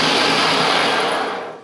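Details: 1979 Ariens 924 series snowblower converted to a Leeson DC motor on NiMH Honda Accord hybrid batteries, stock drivetrain: motor spins up with an even whirring rush, no knocks or grinding, winds down smoothly; normal electric motor run.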